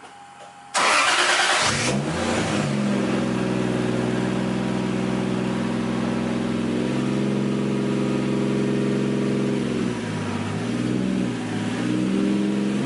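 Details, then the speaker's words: Nissan 240SX S13 with a 1JZ swap and a CD009 gearbox, after a couple of kinks were worked out and the tach was fixed. It cranks and catches quickly, gives a short rev, then settles into a smooth, even idle with a steady beat. Owners think it is running good. "We worked out a couple kinks, and we got it running good. At least we think so."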